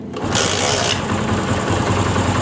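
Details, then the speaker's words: Honda CD70 Euro2, restarted after changing the timing chain tensioner spring and adjusting tappets: quick, even single-cylinder idle with no timing chain rattle; engine sound fixed. "तो देखिए यहां पे बिल्कुल जो है हमारी sound engine की बिल्कुल ठीक है टाइमिंग चैन जो है वो आवाज नहीं कर रहा है"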